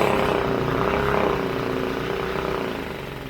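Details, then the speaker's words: Briggs & Stratton 5 hp four-stroke air-cooled mud motor, revived: uneven single-cylinder putter at about four beats a second fading as if to stall, was backfiring; rough idle, owner suspects carb needs cleaning. "so hopefully you can hear me like I said it's ruining everything but it ain't idling quite right but lower end's good"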